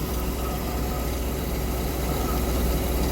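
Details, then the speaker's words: MerCruiser 898 V8 after intake gasket replacement, initial timing set at 0 on tape: steady slightly quick idle with even low rumble at about 900–930 rpm; idle too high, to be turned down to around 700. "We're at 900 about 930 RPM. That's a little too high. We want it around 700."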